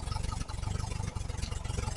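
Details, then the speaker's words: 1968 VW Type 3 with original Bosch fuel injection, fuel pressure 30 psi: lumpy, uneven, loping idle with a brief stumble; massive vacuum leak from unclamped intake manifold hoses, which smooths out once the leak is closed off. "there's your problem. Massive vacuum leak is what I'm going on."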